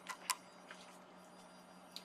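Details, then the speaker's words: Pioneer GM-4000 car amplifier on a small current-limited bench supply after repair, fan heard running: at switch-off the amp goes quiet, then a couple of crisp output-relay clicks over a low hum, which is normal. "je vais l'éteindre et on entend même aussi le le relais"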